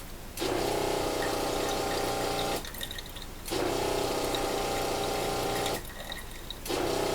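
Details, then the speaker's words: Off-grid rainwater system, small pump on a pressure switch, tap opened: hum runs about two seconds, drops out under a second, restarts; short cycling with only a trickle because the ceramic filter is partially blocked from not being cleaned. "you can hear the pump pulsing in and out, and there's only a trickle of water coming out of here. The reason for that is that the ceramic filter is partially blocked."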